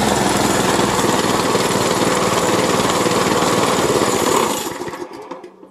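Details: Store-bought plate compactor with an unknown Chinese Honda GX160-copy engine that had been starting then dying, now fitted with a new spark plug and plug cap: steady, even fast rattle for four seconds, then cut off and winding down; running normally.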